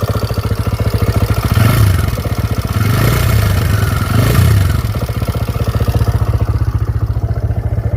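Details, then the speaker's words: TVS Raider motorcycle warmed up after about 10 km, idling with a fast "kit kit" tappet ticking over the thump that grew louder once hot, from valve tappet clearance. "तो अभी जो इसके engine से आवाज आती है ना वो थोड़ा ज्यादा हो चुकी है।"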